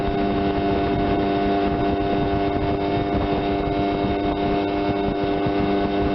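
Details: 1976 Johnson 15 hp two-stroke outboard under way after carb rebuild, new fuel pump, fuel lines and points, Sea Foam decarbonizing; compression 130/127; 21 mph on GPS. Steady, even drone with no misses, knocks or surging. Normal running.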